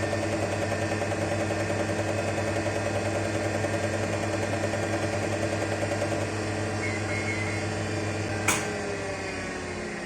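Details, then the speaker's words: Olivetti M24SP, 1985 8086 PC at 10 MHz, first power-up after cleaning: over a steady fan hum, the hard disk gives a repeating mechanical pulse about 2.5 a second, then stops abruptly; funny noises, cause unknown. "well the hard disk sure makes some funny noises and isn't that an interesting pattern on the screen"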